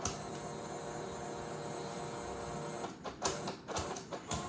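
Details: Brand-new Creality CFS filament changer on a K2 Plus, not recognized by the printer: steady motor whir then irregular clicks and whirs as it keeps shuttling back and forth, light flashing; cause unconfirmed.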